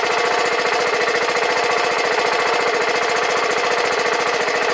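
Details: 2009 BMW G650GS single after 5 years' storage with fuel removed, new battery: even, quick putter at steady idle, no knocks or rattles, before the old fuel line comes loose in the tank. Normal idle.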